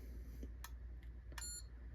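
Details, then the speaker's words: JVC DR-MV150 VCR/DVD-RW combo: a couple of probe clicks, then the ESR70 meter beeps sharply straight away. This cheap Luxon capacitor tests bad with high ESR, twice. "It's bad. It tests bad immediately. We'll test it again. Yeah, no. No good. It is indeed bad."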